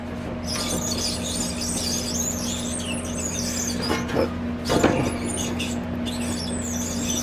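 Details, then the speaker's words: Outdoor AC condenser fan motor, 825 RPM, blade checked and fine, customer reports loud squeaking: high chirpy squeaks come and go as the fan is turned slowly by hand, from a bad motor bearing. "So I think it's just the motor, not the blade. You can hear, even when I turn it here, you can hear it squeaking."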